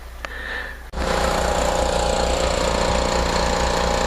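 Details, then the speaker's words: Home standby generator during a power outage, running about 58.6–61 Hz with the air conditioner load. It settles into a steady drone with a low pulsing boop, three or four a second; rough running with a non-exhaust rumble, cause unclear (owner considers adjusting the governor screw). "so you can hear that boop i don't feel it in the exhaust like a lot of times when a car is skipping you can feel it on the exhaust so i'm getting a steady exhaust out of that so uh it just sounds a little different than what it usually does"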